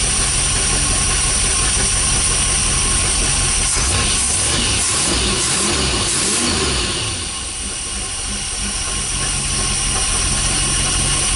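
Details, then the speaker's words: 440 big-block Mopar, last on the road in 1995, first run after 20+ years: loping but fairly even V8 idle with a brief midway rev, settling smoothly; runs pretty good. "so I think it's gonna turn out fine runs pretty good"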